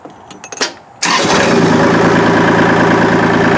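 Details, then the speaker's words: 3-cylinder diesel tractor, just fixed: cranks and catches in about a second, then settles into even, steady diesel clatter at idle; normal idle, healthy. "It sounds a lot different than my other one, because it's a 3-cylinder diesel. It sounds like a regular diesel and not like a"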